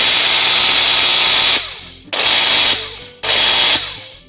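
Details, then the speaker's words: Makita GA5010Z 120V 10.5A angle grinder, reportedly wouldn't turn over, runs in three loud bursts with a harsh whir winding down and a rough grinding from the bevel gear reduction; worn bushing or bearing suspected, unconfirmed. "it's actually working and I can hear the grinding sound from the gear reduction part with the bevel gear uh seems like we might have some worn out bushing or bearing"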